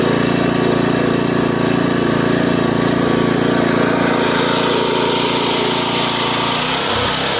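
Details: Craftsman rototiller with a Briggs & Stratton 5.5 hp I/C single-cylinder engine, after a non-start fixed by rinsing water and rust from the fuel tank and refuelling. It buzzes at a steady, even pitch before winding down, running smoothly.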